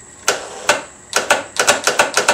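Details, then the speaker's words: ATV with a lead-acid battery restored about two years earlier and charged overnight: sharp dry clicks, about eight in under three seconds, with no cranking. The lights work, but the starter solenoid chatters on the weak, nearly dead battery. "That's all that battery will do. It's got a little bit of charge in it because I've been charging it for overnight, and that's what it's got."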